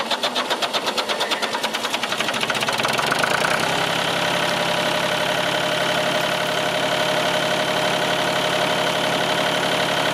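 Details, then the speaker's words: Old tractor, jump-started with a battery booster after earlier clicking tries; slow, labored cranking for about three seconds, then it catches and settles into a steady idle; normal start and idle. "so you hear you hear how well it turned over that shoe marker it's not showing anything now I don't know guys it's probably dead but that's what it took to start that bad boy"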